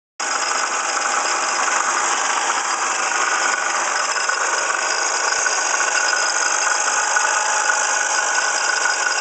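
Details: 1995 Ford Escort running with a fast metallic rattle from the passenger side of the engine, traced to a water pump pulley damaged in a passenger-fender accident; new alternator, belts checked fine.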